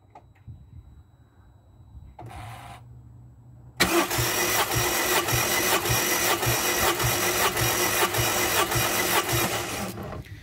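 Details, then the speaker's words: Rover K-series petrol engine compression test, cranking on starter with gauge in a spark plug hole: even chuffing beat with no uneven strokes; each cylinder reads just over 100, compression even. "and the reading is um just over 100 right so that's our little compression test done"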